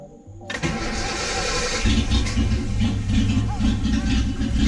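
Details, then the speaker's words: Car just fitted with new exhaust and clamped resonator, start-up: catches quickly and settles into steady low idle with subdued, tidy exhaust note, no rasp or leaks; already quieter than before. "it'll be a lot quieter yeah it'll sound like an actual car in high RPM's it's gonna sound much nicer"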